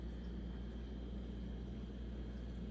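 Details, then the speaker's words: Home Essentials HE168RC stand fan on highest setting after oiling the dry shaft and reassembly: smooth quiet airflow hum, no squeak, rub or rattle; normal operation. "I fixed it just by oiling that part. Yes! Oh, that's a relief. That's the highest setting."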